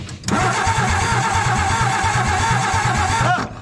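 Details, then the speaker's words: 1962 Ford F600, cranked on jumper cables after Marvel Mystery Oil in the cylinders, points gap set to 0.025. Even cranking with no firing; no spark because the distributor rotor was left out. "i'm getting nothing at all did i not hook something up yeah i forgot something didn't i the rotor god what a dip"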